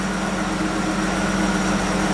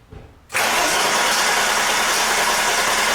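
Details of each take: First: 1987 BMW 325 first cold start after new fuel filter, new fuel line and reinstalled pump; fired after cranking to refill the empty filter and pump. Steady even hum, low smooth drone, no knocks or misses, settling into normal idle. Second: 1987 BMW 325, cold, with a new fuel filter and fuel line just fitted and the pump refitted. Fast steady starter churn for about five seconds without catching, then winding down. There is no fuel yet in the filter or pump, so it needs a long crank; it usually takes 10–15 seconds cold.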